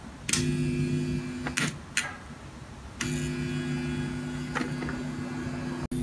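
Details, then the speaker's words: Turntable output: steady low buzz cuts in and out as a floating ground cable picking up noise is touched on and off the amplifier's ground; the hum stops once it is grounded. "an obvious solution is to connect this wire to somewhere to stop it from floating and picking up noise"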